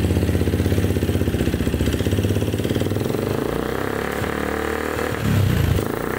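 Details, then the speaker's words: Yamaha Jupiter MX (carbureted, 54 mm x 58.7 mm bore/stroke) that smokes: uneven, coarse rattling beat at idle with rough low thrum from the cylinder block, suspected piston slap from a worn cylinder bore, to be confirmed by opening. "Ini suara bagian blok juga kasar, dan kita juga harus dulu dan kita lihat di bagian blok ini terdengar suaranya kayak tiang seher juga suara, tiang piston juga suara, tapi kita harus buka dulu biar ada kepastian dan kita lihat."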